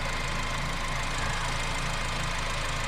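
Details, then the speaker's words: 2012 Honda Civic 1.8 L after alternator replacement, charging at 14.34 volts: steady, even idle with a smooth low hum and no knocks, misses or belt squeal; engine and charging running normally. "so we have 14.34 volts. She's charging pretty good. Sounds good, looks good."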